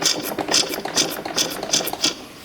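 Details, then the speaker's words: 1997 Yamaha YZ250 two-stroke dirt bike, sold as non-running, while checking ignition timing at the flywheel: sharp hissy puffs about twice a second from the air box/intake side; carb also sounds odd; unexplained air box noise, cause not yet found. "I hear something going on in the air box. You guys hear that?"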